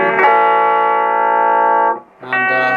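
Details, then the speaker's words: Mesa Subway Rocket guitar amp just switched on, cold, whose sound fades after running a while: clean full-volume guitar notes ring evenly with no crackle, hum or drop in level; normal output at this point. "that sounds fine the sort of volume I'd expect it to be"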